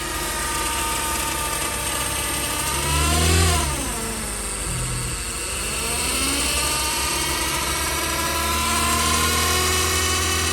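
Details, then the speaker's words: Chevrolet Cruze 1.8 automatic transmission making a loud, jet-like whine whose pitch rises and falls with engine speed, pointing to internal transmission damage. The gearbox was found oil-wet with a suspected torn seal, though the oil level was still full. "Chả biết đỗ ở đâu. Nó đang kêu như máy bay này."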